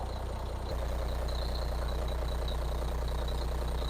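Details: 2003 Foden Alpha truck with Cummins diesel, started after an engine wash: even, deep beat of about three pulses a second at idle with no knock; runs smooth and healthy, watching for a possible leak.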